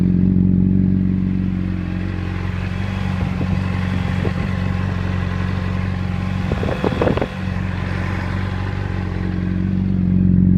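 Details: Honda 600RR at idle after cam chain and tensioner replaced with APE manual tensioner: light, even clatter ticking about four times a second, unchanged when clutch is pulled; source unknown.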